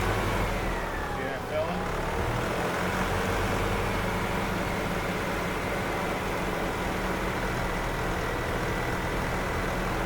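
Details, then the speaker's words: 1997 EZGO TXT gas golf cart, hard starting after sitting, after maintenance including new flexible fuel lines: steady even small-engine drone at constant pitch, no misses or knocks; good running cart. "Okay. Looks like we got a good running cart here. I must say this is a good running cart."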